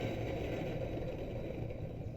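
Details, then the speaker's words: Electrolux LTE12 top-load washer running after its transmission mechanism was replaced: steady rough low rumble with faint scraping from the motor, noise persisting; motor bearings suspected worn, not confirmed. "acho que deu para escutar né ó um barulho eu falei assim esse motor está danificado"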